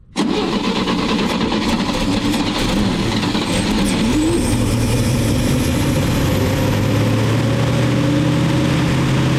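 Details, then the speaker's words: 1961 Chevy dump truck with old gas in it: it cranks and catches, then idles unevenly with a wandering, surging beat. Rough idle after start; the carburetor is suspected, and the air screw and idle are being adjusted. "[Music] well might have to do some work on that carburetor"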